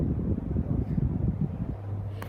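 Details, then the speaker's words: Bali Blue Mountain M52 ceiling fan, now working on medium: a low, steady hum with a wavering throb and airy rush, loud like an industrial fan; vibration blamed on a twisted shade and blade brackets look slightly off. "blows a good amount of air. It just sounds like an industrial. And when you order a fan that looks like this, you expect low noise. You're not expecting industrial quality. It's loud."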